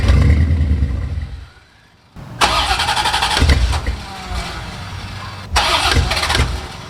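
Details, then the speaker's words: C4 Corvette's first start in 12+ years, with a new Bosch OE fuel pump heard priming. The key is bumped to move oil. The engine cranks and catches for a split second, dies, then only short cranking bursts follow. The owner hopes the fuel rails and injectors aren't dirty. "all right all right well it started for like a split second and we got to hear it i'm sure oil already moved around the engine so i'm not too worried about that it just won't stay running like it wants to run but it just can't stay running"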